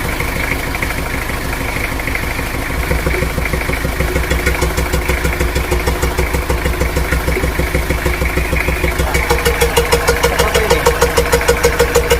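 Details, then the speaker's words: Toyota Kijang diesel at idle, air filter open: rhythmic chuff-chuff puffing at the intake about three beats a second, air pushing back past the intake valve; possibly a leaking intake valve, which can come from being due for valve clearance adjustment by shim replacement. "nah di situ kelihatan jelas ya bahwa mesin tersebut bersuara jes jes jes bok bok bok seperti itu kalau ini emang benar nya itu bocor bagian intake valve-nya"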